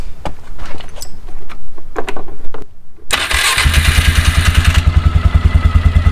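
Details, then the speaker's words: 2004 Polaris Sportsman 400 after drive belt replacement, started with clutch cover on to check for rubbing; cranks, catches and settles into an even idle with steady firing, no rubbing, squeal or slap from the belt drive. "i'm gonna start up the machine one more time with the cover on just to make sure nothing rubs or makes any weird noises before we continue"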